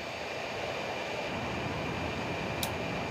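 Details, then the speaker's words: TiVo Stream streaming device, original internal cooling fan: loud, steady airy rush with no pulsing or rattle; stock fan excessively noisy, to be replaced with a quieter third-party fan. "the only problem is that it is really loud if you plug that in real quick um you can probably hear it there's a fan in there that makes a lot of"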